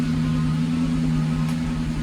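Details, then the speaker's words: Lexus SC400 with code P0307, a cylinder 7 misfire; it shakes at stoplights and traction control light blinks: engine ticking over with an occasional deeper thump from the exhaust; misfire. "You can hear it from the exhaust too. It has like that deeper sound, like every now and then. It'll make the engine shake."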